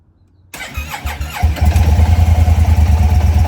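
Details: 2022 Kymco AK550, start test on an about two-year-old battery after a trickle charge: brief one-second crank, then it fires cleanly into a steady, even idle; the voltage did not drop below 10 V, so the battery is good.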